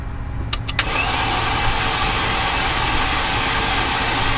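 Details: 2008 Mercedes CLK350 (W209) M272, water-damaged and previously locked, cranked on a fresh battery after penetrating oil: starter spins fast and evenly with almost no compression pulses, cannot fire; very low compression.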